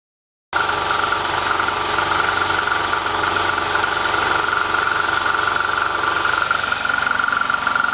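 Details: QUPB GT Max 800 W 220 V fan-cooled electric PCP compressor (max 310 bar) filling a 3 L scuba tank, nearly full toward 2500: steady drone, even high whistle, rapid piston pulsing about four a second; normal running.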